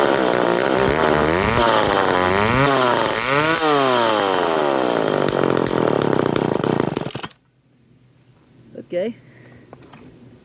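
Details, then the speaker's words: McCulloch 10-10 Automatic two-stroke chainsaw, first run, fuel mix ratio uncertain, recoil broken: quick surging swoops up and down, dying abruptly when throttle drops; won't idle, cause not yet found. "yes it does run and it will run but I need to fix the recoil I need to figure out why it won't idle"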